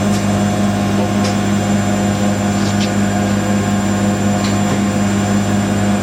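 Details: Siemens IQ300 WD14H320GB/02 washer dryer (7kg wash, 1400rpm max), bought listed as noisy on spin, on a Cottons 90°C cycle: intermediate spin at 1,000 RPM, steady even hum with no rumble or knocking, very smooth.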